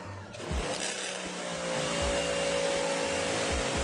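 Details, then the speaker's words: Sun Joe SPX3000 electric pressure washer (14.5 A motor, 2030 PSI max): after triggering the gun too fast, the pump thumps in an uneven pulse about four times a second under a thin whine, running short of pressure; needs time between triggers. "watch when I do this. See how it's low pump? That's why you have to give it time."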